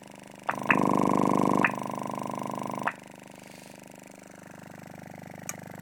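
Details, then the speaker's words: Audiobahn AW122T single-voice-coil woofer, about 4 ohms, claimed 550 W, driven with a 25 Hz sine excursion test; low tone turns into a harsh buzzy rattle as the cone bottoms out at full stroke. "So we're going to do, and this is the heaviest of them all, we're going to do excursion tests on each of these products with a 25 hertz sine wave. So this is good. You can hear it's bottoming it out now."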